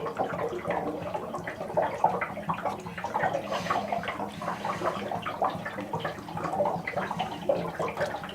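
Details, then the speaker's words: Cabin hot water tank being drained during winterizing after turning the drain valve in line: irregular bubbling and gurgling as water rushes out outside in uneven surges; tank draining normally. "And then the water in the hot water tank will start draining out down outside. And of course you can see now that that valve is in line. You can hear the water gurgling out."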